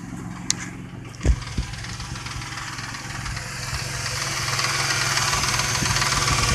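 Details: Truck with a tapping sound a friend suspects is the lifters, checked at the half-hour mark before adding Marvel Mystery Oil: starting clunks, then idle with a faint light tick on top; slight lifter tick.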